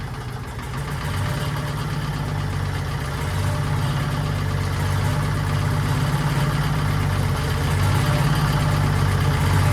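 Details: 1940s Allis Chalmers D5/HD5 crawler, two-stroke Detroit 271 diesel after long storage, normal idle after restart: deep even idle building slightly, no knocks or misfires; smokes, owner suspects injector, plans replacing it.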